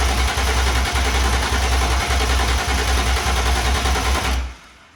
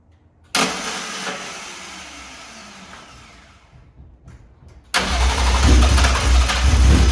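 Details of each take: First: BMW E36 with swapped S54 engine, first start attempt after fuel pump and fuse installed: starter churns the engine over at an even beat for about four seconds but it never catches; cranks, no start. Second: BMW E36 with swapped S54 engine, first start, exhaust not fully built; catches, settles, then revs cleanly with an even smooth note, no ticking, VANOS sounds great; healthy running.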